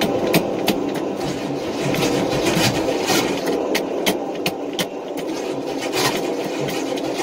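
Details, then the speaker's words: Long-stored engine on race fuel, rebuilt bearings, cranked on half-dead battery, 60 psi oil pressure: harsh metallic grinding pulses about three a second, no firing; starter stripping remaining flex plate teeth, debris in inspection pan. "and yeah flex plate is done whatever was left of the teeth are now laying in the inspection pan"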